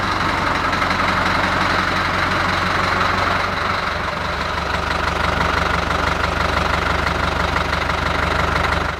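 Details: Deutz F4L514 air-cooled four-cylinder diesel, under repair of cylinders and cylinder heads: steady, even clatter at idle with no knocks or misses; running smoothly and healthy.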